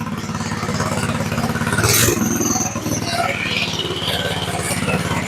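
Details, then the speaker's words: Go-kart single-cylinder engine just started after sitting and a carburetor clean, idling a little high at a brisk, fairly even buzz; idle was then turned down a touch. "Idle's just a little bit high. We'll turn the idle down just a touch."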